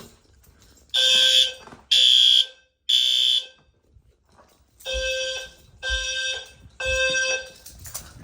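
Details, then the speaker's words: Home fire alarm system first power-up test, bedroom device triggered: loud high-pitched horn blasts about once a second in groups of three with pauses; horns sounding normally. "That sounds better, doesn't it?"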